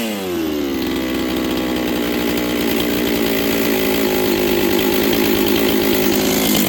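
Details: Rebuilt Husqvarna 266XP chainsaw with a new top end installed, on its first run with final carb settings not yet done. A raspy two-stroke buzz climbs early and holds, and low-end pickup is lazy from the untuned carb.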